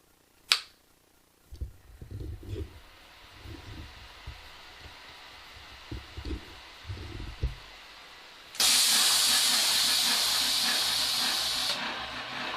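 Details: Omega Super Charger air compressor at startup: soft irregular thumps, then a sharp steady hiss for about three seconds as the moisture purge vents normally.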